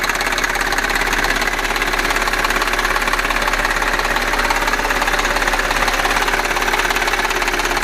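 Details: Audi A6 4F 3.2 FSI quattro running: a fairly even clatter, about two and a half ticks a second, over a steady engine; strange abnormal ticking, knocking and nailing engine noise.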